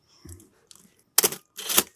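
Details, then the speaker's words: Canon AE-1 shutter dial/ASA gear train during tungsten wire repair, very dirty camera: dry scratchy clicks in short gritty bursts when the gear is hit; oil still working in, cause not confirmed. "yeah I can hear hopefully you can hear when I hit that gear here you can hear it"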